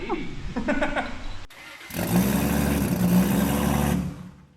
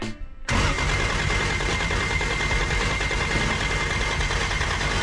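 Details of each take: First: Toyota 2JZ-GTE engine, first start after a build, once a backwards-fitted mechanical fuel pump was found: short crank, pause, then it fires and holds an even idle for about five seconds. It sounds good. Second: Toyota 2JZ-GTE Commodore project, first start attempt: several seconds of steady cranking that never catches or fires, then drops off; crank no start with no fuel pressure because the mechanical fuel pump was fitted backwards.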